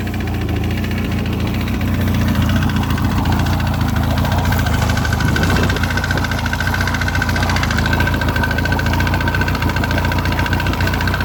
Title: Piston slap 2002 Mercury outboard 115 hp